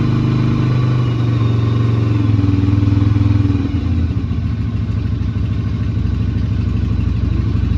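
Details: Yamaha Virago XV250 V-twin, not ridden in 8 years, started without choke, oil slightly overfilled: steady, even low-pitched beat holding a smooth idle; running normally.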